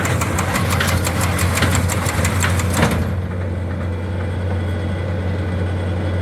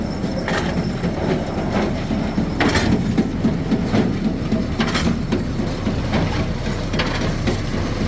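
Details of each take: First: Old square hay baler behind a tractor, rebaling loose hay: tractor drones while fast rhythmic baler clacking runs, then cuts out abruptly; the shear bolt broke and no twine appears to have been tied. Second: Old square hay baler run from the tractor after greasing, new rear panel, pickup guards and lubed chains: low steady rumble with quick, even clatter three to four times a second; empty baler runs smooth and regular.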